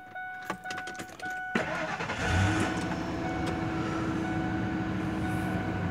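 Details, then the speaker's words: 2000 Ford Expedition, 5.4 V8, after replacing the faulty ignition switch that left the engine running with the key out and clicking under the dash. A few light key clicks, quick starter catch, then an even, steady idle with no clicking. Normal start. "okay uh there's no clicking"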